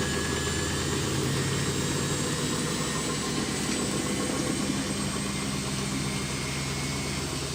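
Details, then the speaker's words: Samsung washing machine test after overhaul fixing knocking, stuck sock removed: steady whirring spin with constant hum, no thumping or knocking; drum running smoothly. "тест стиральный автомашины samsung после капитального ремонта"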